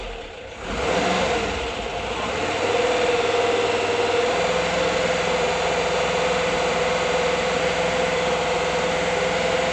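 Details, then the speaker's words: 1979 Volkswagen Bus engine, first start after a full rebuild, carburetor set but not yet tuned, hydraulic lifters still building up: catches quickly into a smooth, even idle with a light fan whir; normal idle. "Sounds good, right? Running. Didn't even tune it yet. I gotta let the hydraulic lifters build up. Sounds really good."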